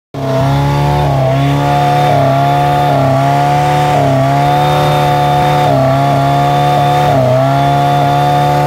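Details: 1989 OMC Cobra 2.3L four-cylinder boat engine holding steady speed but stumbling, tone sagging briefly every second or so; misfire, owner suspects electrical.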